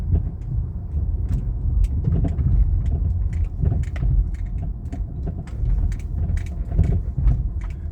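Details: 2013 Chrysler 200 with the 3.6 engine and struts replaced about four to five months earlier, driving over small bumps: sharp, irregular front suspension clicks and clacks, seeming to come from the right side; owner wonders about the sway bar or axle.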